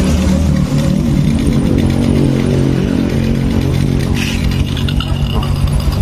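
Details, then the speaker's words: Honda Supra X 125 carburetted single-cylinder after engine rebuild and carburettor replacement, idling without throttle at a steady, even beat with no knocks; normal idle. "Nah ya, tuh ya, udah lembut, mesinnya udah lembut banget nih."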